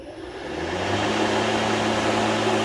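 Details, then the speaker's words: Litheli 13-inch cordless battery lawn mower, first ever start, run with no load: motor spins up within half a second to a smooth, even hum with a steady tone and no knocks or rattles; healthy free run. "The way you start it is you press the button first, and then you pull back the safety."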